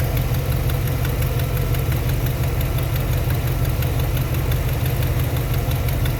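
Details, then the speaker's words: 1991 Chevy Silverado 350 V8, new alternator, parasitic battery drain, idling on its own: faint regular light tick over low steady idle; suspected exhaust manifold leak at a header, not confirmed; ticking at idle. "We got a ticker over here."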